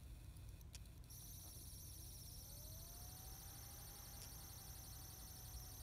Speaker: as you can see it's pretty loud it's pretty obvious and this right now you can hear it it's not running the fan is running and you can hear the fan but the squeaky noise is intermediate intermittent